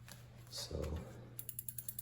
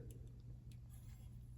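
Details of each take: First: 2001 Specialized RockHopper, rear wheel refitted with the quick release: even freewheel ticking as the wheel spins with no scraping or dragging; the brake runs clear. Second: 2001 Specialized RockHopper bicycle after rotor truing; light scraping ticks each wheel rotation over a quiet hum; disc rotor still rubs pads at one spot, possibly bumped.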